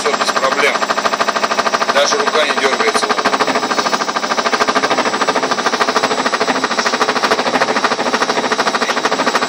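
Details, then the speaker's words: Ariston washing machine drum knocking during the spin cycle, rapid fairly even knocks about two to three per second growing louder as it gains speed; owner unsure of the cause. "Даже я не знаю, что за стук подозрительный какой-то непонятный. Вот пошел громче, еще громче пошел, еще громче пошел, даже слышно."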